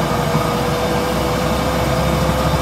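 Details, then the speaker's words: Car on the road after sawdust was added to the worn differential: a steady mid-pitched whine over road rumble while coasting off throttle, seemingly no quieter, with a new rustle; worn differential whine. "мне кажется он ещё сильнее шуметь стал да Или это мне кажется какой-то шум такой появился"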